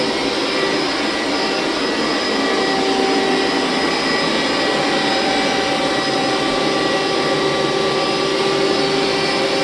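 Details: Hoover SteamVac Widepath carpet extractor about 15–20 years old, doing a hot water pass: steady, even high-pitched suction roar; running normally, though the motor bearings may need replacing or re-greasing.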